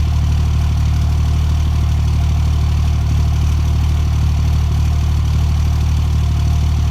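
Heavy, loud low idle with a steady thump about three times a second and slight unevenness; misfiring on a cold start.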